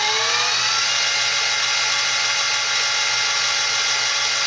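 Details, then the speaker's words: X2 mini-mill (CX605) with stock gearing: whine climbs as spindle speed rises from low rpm, then holds as a steady buzzy singing like a loud sewing machine; gear mesh noise. "now the mini mill on low rpm this is just with the standard gearing so spinning really slowly it's fairly quiet as you increase it it gets a little louder"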